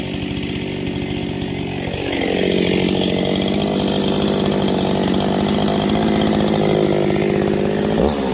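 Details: Freshly built Husqvarna 268XP chainsaw with 24-inch bar, break-in cut: steady high scream under load with pitch wavering slightly up and down as the new engine loosens up.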